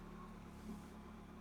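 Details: 2008 Peugeot 207 1.6 VTi Prince engine, after moving a camshaft sensor and clearing codes P0341/P0342/P0343: quiet, even idle with no ticks, knocks or stumbles, no fault codes returning, timing chain not needed. Normal idle.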